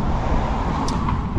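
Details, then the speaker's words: Loud dull booming rumble from underneath, exhaust pipe has come loose again from the tube at a joint, leaking, owner says it needs welding. "Ah bah voilà, c'est l'échappement. L'échappement, il s'est rebarré. Il s'est rebaré du tube donc le gros bruit sourd, il vient de"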